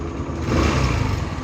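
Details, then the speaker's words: AXXO Viper 180cc scooter after replacing the exhaust gasket and retightening the bolts with lock washers: smooth, even exhaust note that is nearly silent at idle and slightly louder when accelerating, with no rattle or leak; normal exhaust. "cuando aceleramos se le escucha poquito más de él la salida del escape pero en ralentí prácticamente solo un sonido molesto su sonido exagerado se ha perdido así así debe quedar el sonido de el tubo y del silenciador de escape no más uniforme posible"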